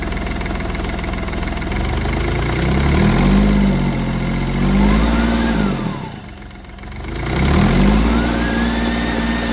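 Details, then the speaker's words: Smart Fortwo 450 CDI 0.8 L turbo diesel, free revs twice right after fitting a new turbo cartridge with three turns of wastegate preload and the shaft tightened; turbo whistle rises and falls with revs, no rattle or scrape, much better than the old one; healthy turbo. "Yeah, that sounds a lot better than the old one. And the shaft is tightened up on there."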